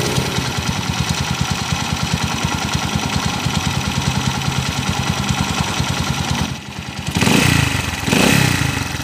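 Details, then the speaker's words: TMX155 single-cylinder motorcycle, owner reports knocking when cold that fades when warm: rough, clattery rotating rumble under each firing pulse, louder on revs, vibration; diagnosed as worn crankshaft bearings letting the crank wobble. "malagitik tapos yung magaspang na umikot dito yung ma- vibrate parang yung kwan niya yal bearing parang yung segal bearing nito mga bro"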